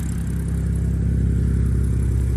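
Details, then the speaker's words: 2013 BMW E93 328i N51 M-Sport six-cylinder after crank-no-start fixed by draining separated contaminated fuel and clearing fluid-contaminated combustion chambers: deep, even low idle rumble, no misfire, running nicely. "okay as you can see the car is running it's running nicely actually I'm going to shut it off and I'll tell you what I"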